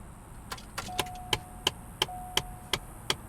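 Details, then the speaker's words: Chevrolet Cobalt SS, A/C on, blower dead on speeds 1–3: steady ticking about three times a second from behind the dash, faint motor hum between; blend door actuator clicking, replacement on hand, mounted far back on the right firewall. "can hear the infamous motor for the door flap inside there. I do have a new one for that."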